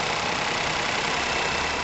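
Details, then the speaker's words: Ford Ka 1.0 12V three-cylinder after repair of knocking, vibration, misfire and power loss, microphone near engine; even, steady idle with smooth airy hum, no knocking or misfire; normal idle. "E aí velho acabou com aquela barulheira né Vocês viram no começo de vidro do vídeo aquela bateção que tava feio olha aí ó ó o show de bola né agora tá novo de novo praticamente"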